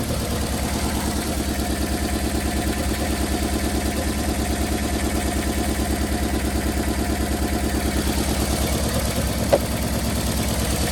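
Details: Uneven, stumbling idle with a lopsided beat near two per second that keeps dropping out on a 1990 Toyota Corolla LE sedan 4A-FE; cylinder misfire, owner suspects a blown head gasket, not confirmed.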